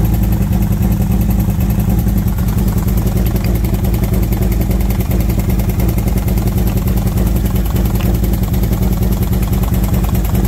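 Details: V-twin motorcycle with new SS540 cam and valve springs, lifters adjusted to four full turns, warm idle: light, fast tick about three per second over the lope from the front valve cover; owner suspects front valve train, exhaust side, not confirmed.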